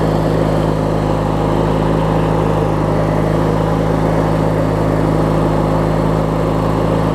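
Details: Craftsman LT1000 riding mower with a swapped-in opposed-twin engine, running after refueling and restarting; steady, even low thrum with no misses, knocks or surging; opposed twin idles smoothly, normal healthy idle.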